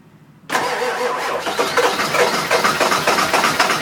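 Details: 2000 Ford F250 7.3 diesel, 208k miles, everything under the valve covers new except the injectors, new cam position sensor: steady cranking at roughly four turns a second, never catching; crank, no start, owner suspects injectors.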